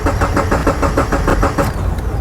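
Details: 2013 Subaru Impreza, towed in with a no-start: steady starter cranking with even compression pulses and no catch. Traced to a bad ground (over 6.5 V on ground pin 4), a voltage drop that looked like a CAN bus fault.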